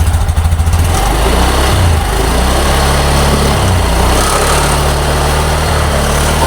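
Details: 2022 Honda Beat Deluxe scooter, final test after repairing wiring chewed by rats that had stopped the fuel pump humming (no error code shown): a steady, even low putter with no misses or rattles. Fixed without replacing parts.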